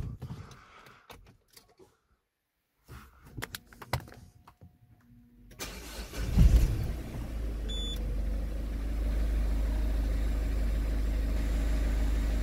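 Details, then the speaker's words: Citroën C4 Picasso 1.6 HDi diesel start test after a fuel filter change, primed with the hand bulb until firm: handling noise, quick crank and catch, then a steady even idle; filter properly primed, no air. "On va faire un test de démarrage. Si ça démarre, c'est que le filtre est bien amorcé."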